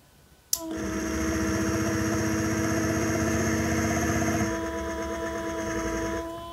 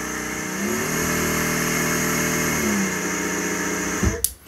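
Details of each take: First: Mecpow X3 Pro 10W laser engraver air-assist pump: steady buzzing hum with fast throb about four beats a second; on the first two power settings it labours and doesn't move air, easing and blowing well as power rises. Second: Mecpow X3 Pro 10W laser engraver's air-assist pump switched on: steady airy hum with a faint high whistle, even until switched off. It didn't work on the first two levels, then drew and blew air well. Normal running.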